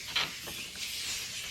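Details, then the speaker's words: Diesel truck with a bent intercooler under boost leak test, pressurized through a regulator: a thin, steady, high hiss with a few sharper puffs; air is leaking at the regulator fitting. "so obviously this one got some leaks so all you got to do like i said this one's got a intercooler bent in it so i'm sure it leaks all over the place but psi yeah you can hear it"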